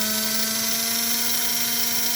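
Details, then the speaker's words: 1946 postwar American Flyer locomotive motor on the second chassis running at about 12–13 volts, 1 amp: steady high-pitched whine, fast and strong, with a slight ticking from a possibly cockeyed gear. "But listen to that motor. Holy moly."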